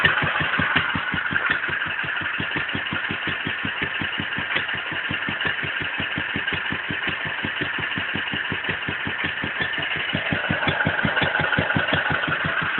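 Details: Wolseley WD2 single-cylinder engine at first fire-up after a rebuild; steady, even beat of about five firings a second with no misses or knocks, running sweetly. Normal running.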